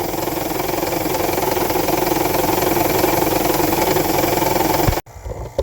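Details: Toyota Estima Hybrid, 2.4L 2AZ-FXE, heavily shaking after a top-up of about 4.5L of oil and a long drive; ECU shows random multi-cylinder misfire (cylinder 1). Rough, uneven stumbling idle, then the engine shuts off abruptly.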